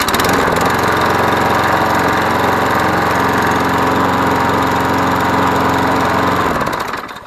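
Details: Yard Machines 20-inch mower, Briggs & Stratton 6.75 Series EX 190cc, after a blade strike, inspected for a sheared flywheel key and reassembled: runs steady at an even governed speed with no knock, hunting or backfire, then shuts off. Normal running.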